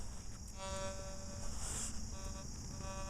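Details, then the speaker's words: Fors Core metal detector switched from silent DI3 modes into general all-metal mode, volume turned low: a faint, thin, steady threshold tone hums in and out. Normal threshold. "We do have a threshold mode in all metal. I will quickly throw down into that. Oh. Here's general. You can hear the threshold."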